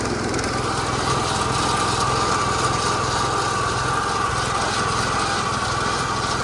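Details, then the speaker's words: Massey Ferguson 16 garden tractor with old Kohler single-cylinder engine, revived after sitting since about 2013 with a replacement aftermarket ignition (33-393); everything works: steady, even buzzing run, no misses or knocks; running healthy. "runs. It works. Everything does what it's supposed to do."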